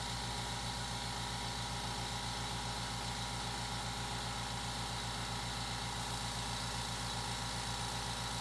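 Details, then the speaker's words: New California Air Tools 8010A quiet air compressor running at about 67–68 dB: a steady, even drone with fast regular pulsing and soft hiss, no knocks. It is far quieter than the old compressor, and it runs normally. "The new air compressor is much quieter at 67, 68 decibels. The number still sounds high, but that's actually about what I'm speaking now."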